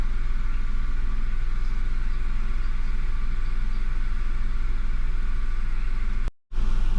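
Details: 2014 Nissan Note E12 with GDI, check engine light, code P0172 system too rich, runs rough, loses power, stumbles and bucks: low, uneven idle loping about two beats a second; rough idle, cause unconfirmed.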